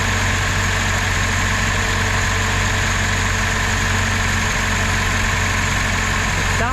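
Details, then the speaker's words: 1977 Datsun 620 started after sitting, with carburetor reconnected and throttle return not yet hooked up: steady idle with a faint, loose chattering rattle over the low rumble, and smoke from the back. Unidentified chatter at idle. "There's a little bit of chatter. I'm not sure what that is."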